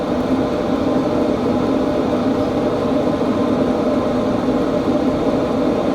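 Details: 2025 Hcalory TB2S Toolbox diesel heater at level 10 after about 5 minutes, outlet rim measuring 144: steady, even fan rush with a low hum, no rattle, squeal or surging. Running normally.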